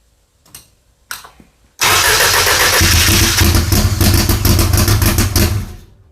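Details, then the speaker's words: Audi four-cylinder drag car, GTX4508R turbo, FuelTech ECU, first fire-up, tune still rich: cranks twice then catches loud and lumpy; only 16 psi oil pressure, seems running on three cylinders, misfire; plan to clean or replace plugs. "i'm only seeing 16 pounds of oil pressure and i don't think we're running on all four cylinders i think we're running on like three"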